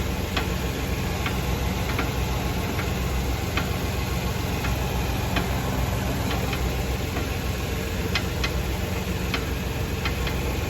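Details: Fiat Novo Uno Drive 2018 driving on the road: light irregular ticks and clicks over a steady low road rumble. A suspension knock whose cause isn't identified.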